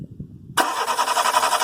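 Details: Renault Scenic intermittent crank no-start, no fault codes, shorted coil winding in fuel pump relay: steady fast cranking whirr starts abruptly and never catches; engine spins but won't fire; faulty fuel pump relay.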